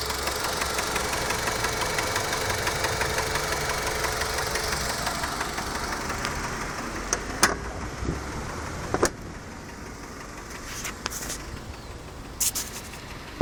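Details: Mazda 6 1.8 engine running with an uneven knock roughly three times a second, then quieter with scattered sharp clicks; an engine knock of unclear cause.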